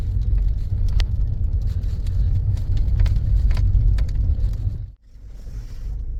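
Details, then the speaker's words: Toyota Aisin MMT robotized manual gearbox test drive after repair of knocking/crunching 3rd and 4th gears: synchronizer replaced plus washers fitted under gears; steady road rumble, short dip at gear change, no crunch or grind, 3rd and 4th now silent. "Ну что тест-драйв я вам скажу коробка бомба третья четвёртая вообще не слышно просто вообще не слышно He тишина реально всё круто всё удалось"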